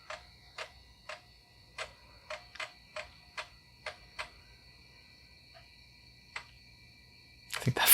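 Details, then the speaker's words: 1991 IBM PS/2 L40 SX laptop, being recapped after leaking capacitors, booting freshly reformatted install floppy: sharp clicks and brief buzzes in uneven bursts with long gaps as the floppy drive loads very slowly; drive needs a proper service, then the machine rebooted. "zombie drive needs a proper service though it's not uh loading as speedily as it should"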